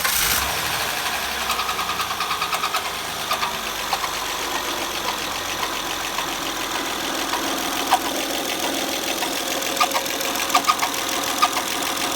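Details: Honda Accord idling, chirp noise still present with the drive belt removed: a sharp, irregular high chirp about once a second. Front cover removed and a damaged camshaft lobe found.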